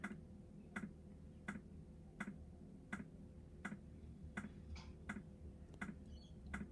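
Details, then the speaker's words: New diesel heater just installed in a Jayco Freedom caravan, heard from outside at start-up with glow plugs heating: steady, even dosing-pump ticks a little over once a second over a faint hum; normal fuel pump ticking. "Certainly kicking in. You can hear it ticking away outside, that's for sure. Here, it's ticking away to pump the fuel."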